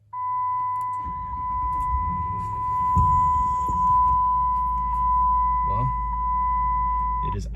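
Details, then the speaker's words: 2006 Ram 1500 Mega Cab V8 after a new coil, on a test drive: low, even rumble with no stumbles or misses under a steady high tone; smooth idle again. "smooth it's been a while since it's done that"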